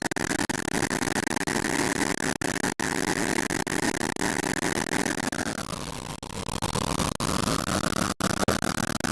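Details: Engine knocking right after refuelling: rapid, sharp ticking rides over the engine as revs dip and recover. Cause not yet known.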